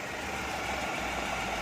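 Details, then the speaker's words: Renault Kwid at idle; customer suspected clutch bearing, diagnosis found alternator bearing; faint constant whirring rumble over the engine. Alternator bearing noise. "भाई यह could गाड़ी है इसमें problem है इसमें कोई बेरिंग रिंग खराब है उसकी आवाज आ रही है"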